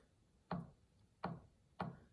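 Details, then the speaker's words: Yamaha G5 piano action removed and on a table, keys including key 37 in a worn section: single dry click with short woody decay on each key release. Suspected jack regulation noise, not confirmed. "And that is the noise that I'm hearing. So there's several through here which are pretty noisy. I think this one as well."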